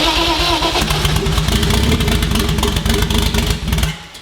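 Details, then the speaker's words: BMW E36 with oversized Precision 6062 turbo on its first startup after custom build: catches, runs rough and uneven for a few seconds then dies; AFR watched, running too rich (too much fuel), with later ECU connection errors. "too much fuel day two serial error unable to connect to the ecu"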